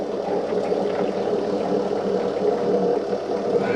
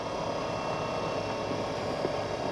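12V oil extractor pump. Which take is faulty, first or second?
first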